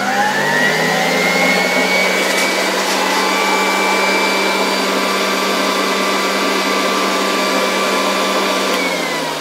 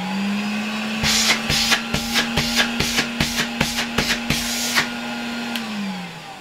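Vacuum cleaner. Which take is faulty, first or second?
first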